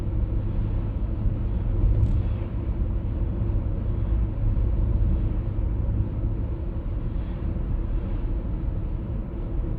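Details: 1996 BMW E39 523i automatic (pre-facelift): steady low droning hum in the cabin while cruising at 50–60 km/h and also 70–80 km/h; cause not yet found.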